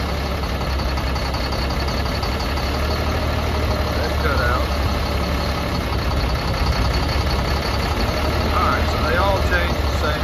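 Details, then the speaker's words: Caterpillar C7 diesel in a Freightliner M2 at idle, check engine light and rough running, cylinder cutout test via CAT ET on laptop (cylinders 5 and 6 suspected): heavy clatter with slight uneven lope; injectors appear to be doing their job, cause not confirmed. "you'll be able to hear it in the background you're listening for the change every time you cut each cylinder out"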